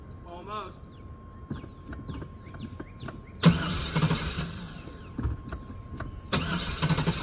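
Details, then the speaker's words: Neglected OBS GMC/Chevy V8 truck, first start after long storage on old gas: it cranks a few seconds, catches, then runs rough with an irregular stumble; it is not running on all eight cylinders, cause unconfirmed. "It's not running on all eight, but it's going to sit in a minute. So, we'll give it a minute."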